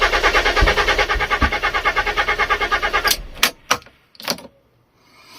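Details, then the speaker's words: Neglected Fiat Stilo Abarth, new spark plugs fitted, throttle body removed while testing a suspected defective ECU: starter cranks steadily about three beats per second for three seconds, never fires; crank no start, cause unconfirmed. "Come on. Nah, it does not start."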